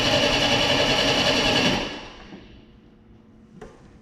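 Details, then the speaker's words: 1989 Pontiac Firebird, about 30,000 miles, sitting since 1991, after fuel pump replacement while flushing rusty tank fuel: buzzy high electric whine for under two seconds after key release, kept on by the oil pressure switch; fuel pump running on. "Well, fuel pump stayed running a little longer than I wanted it to there, but look at how clean the gas got."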